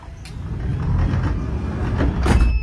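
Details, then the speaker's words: Hyundai Solati 2022 with aftermarket Cayman automatic sliding door drive (70 W, 37 kg pull) set to fast speed by remote: quick, smooth motor whir as the door travels, then firm latch thunk; operation normal. "là tốc độ chạy nhanh Đấy bây giờ mình muốn chạy chậm thì mình sẽ điều chỉnh lại phần trên remote"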